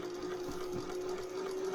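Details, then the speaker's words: Singer 401A sewing machine from a thrift store, rotary hook, first run slowly via knee lever: even steady hum at constant low pitch, no knocks or rattles, not rattling the table; normal smooth run, well balanced. "That is very, it's not even rattling the table. It's got some really good balance."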